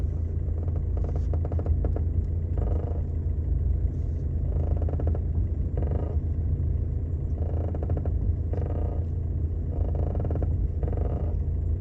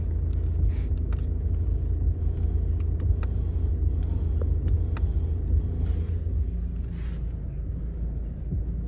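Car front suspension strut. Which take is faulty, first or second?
first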